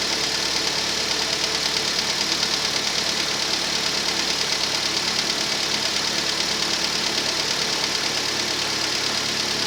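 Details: Rover 25 1.4 petrol engine at cold start, idling normally: light, quick ticking from the hydraulic tappets, normal at this temperature. The car's slight misfire was later traced to a faulty lambda (O2) sensor.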